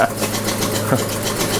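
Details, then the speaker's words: 1977 Gottlieb Bronco electromechanical pinball, after work on the AX/BX relays, with credit reel sticky: fast regular clatter of relays and stepping units over a steady motor hum as it cycles through a normal reset. "it's going through its thing don't tell me I fixed it that easily"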